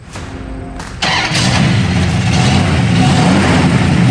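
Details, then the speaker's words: 1974 Plymouth Duster V8, factory gold, very original under the hood: starter whirr, engine catches at once and settles into a deep, even, lumpy idle with no misses or knocks; healthy. "sweet car. This is a factory gold Duster. Just sounds awesome."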